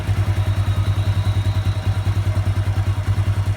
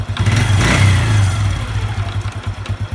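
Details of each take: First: Honda Revo 110 (old Revo "jangkrik"): steady, even idle of roughly 200 pulses a minute, no clatter or knock; very smooth, healthy running. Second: Honda Revo 110 (old Revo "jangkrik"): revved hard then released, an uneven knocking clatter thumps through as revs fall, intermittent; owner unsure whether clutch or loose primary.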